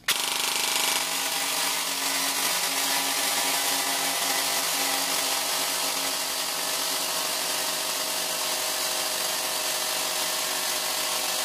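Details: APS V2 airsoft gearbox stress test with M120 spring, new piston and T238 brushless motor: harsh buzzing whir with ragged grinding and sagging pace, then stops; stripped bevel gear teeth slipping.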